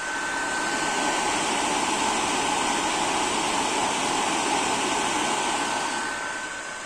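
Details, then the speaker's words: PS4 Pro (first revision), console open, running a game a few minutes after loading, on MX-4 thermal paste applied about a year ago: steady loud airy roar with faint high whistle, fan spinning up hard. "Пройшло буквально декілька хвилин і ми маємо зараз такі результати. Консоль набирає обертів."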